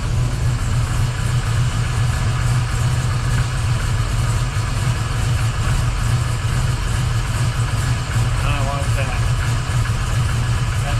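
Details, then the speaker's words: 1979 Camaro Z28 V8 after replacing the noisy Pete Jackson gear drive with an Edelbrock Performer double-roller timing chain, new balancer and water pump; running rich (AFR 12.7–12.9), carburetor needs tuning. Deep steady idle, no gear whine; much quieter than before. Normal idle. "wow what a difference that is so much quieter I'm sure it's going to be a lot better at cruise and at higher RPMs"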